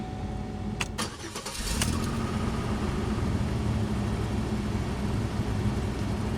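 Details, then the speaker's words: 2003 Pontiac Grand Am GT after upper-end rebuild: engine cranks, catches, then idles with an uneven stumbling beat; sudden miss at idle that wasn't there earlier, a light still flashing, cause unknown. "it looks like it's missing all of a sudden [Music] that's weird it wasn't doing that earlier oh great well now it's got a miss"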